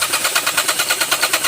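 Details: Geely Okavango 1.5L 2022: starter whirring in quick even pulses, roughly six a second, with no catch or firing; engine cranks but won't start, suspected clogged fuel.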